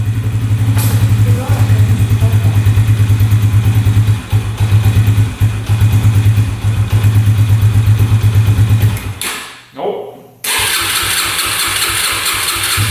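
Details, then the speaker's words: 2011 Yamaha Raptor 125 quad bought as non-runner (bogging, underpowered, wouldn't idle) after fuel tank unclogged: single-cylinder runs unevenly, stumbles and nearly dies; revs out only with choke on, stalls and won't rev with choke off; cause unconfirmed. "Well, it's doing the same exact thing that the seller was saying. So, it's revving out with the choke on. Um, you start it up with the choke on. It runs pretty decent, actually. you turn the choke off, it stalls out and doesn't want to rev out."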